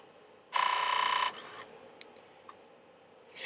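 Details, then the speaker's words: Commodore 1541 drive powered on with its own chips during an SFD 1001 repair test: a good startup with the green light, then a short buzzy head rattle and faint ticks as the head seeks normally and settles. "good startup green light it [Applause] rattles the head a bit okay let it settle down"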